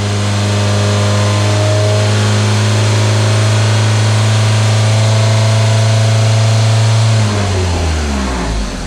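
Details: Engine held at 2000 rpm for 30 seconds during vacuum testing, gauge steady at 21 inHg versus 19 at idle: steady, even drone with no misses or knocks, then winds back down to idle; normal healthy running.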